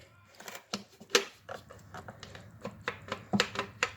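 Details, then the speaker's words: 2012 Kia Sorento 2.4L intake manifold runner actuator, removed and worked by hand during manifold replacement: a loose, irregular, rattly plastic clacking, unlike the smooth, quiet new part. It is broken internally and causes the check engine light with code P200A; the diaphragm also feels wonky. "makes a lot of noise. It's very rattly. This one here, it just slides so gently back and forth, and that's how I determined that this was broken, not working properly."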